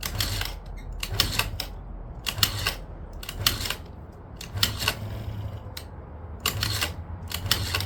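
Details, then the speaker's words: 2009 Yamaha Zuma 50 two-stroke scooter, with fuel squirted into the cylinder. Repeated short starter-cranking bursts, six tries in eight seconds, that never fire because the engine run switch was left off. "I forgot to turn the engine run button on. So, it does start a little bit."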